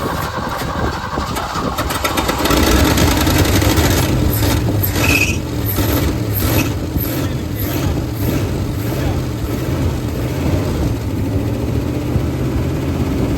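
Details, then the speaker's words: 1971 Ford F250 V8, started after 9+ years sitting, in neutral: brief start-up flare then smooth, even idle with no tapping or misses; idling really nice, sounds healthy. "Yeah, it's actually idling really nice. It's smooth."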